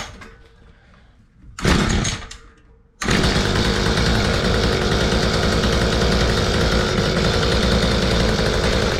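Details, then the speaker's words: Mantis two-stroke rototiller after a spark plug change: several coughing tries, then catches and runs rough and buzzy; hard starting, fuel line found brittle, mixture settings adjusted. "all right I got her to fire up it actually took a lot more effort than I wanted"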